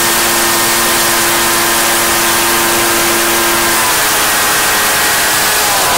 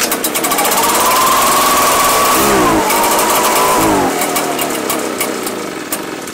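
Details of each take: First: Echo PB-755ST two-stroke backpack blower, bought new two years earlier, after fresh fuel and carburetor adjustment (it had been bogging and dying under throttle/load); steady high-pitched full-throttle scream holding full revs cleanly without bogging, running normally. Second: Two-year-old Echo PB-755ST two-stroke backpack blower that bogs and dies when throttle is applied. Revs climb to a thin whine, sag, recover briefly, then die. The fuel smells funky, pointing to stale fuel.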